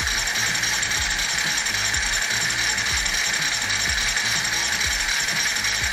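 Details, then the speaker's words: Kawasaki Z250 engine, reassembled with a new cam chain and timing set, spun on the starter on a stand: steady, even chuffing about three pulses a second, no knocks, normal cranking; oil reaches the cams. "bueno muy atentos acá lo que hacer es hacer girar el motor"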